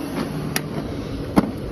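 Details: 2001 Chevy Suburban idling just after alternator replacement, charging at a little over 14 volts: steady, even low rumble with no whine or bearing growl from the belt side; much quieter and healthier than before.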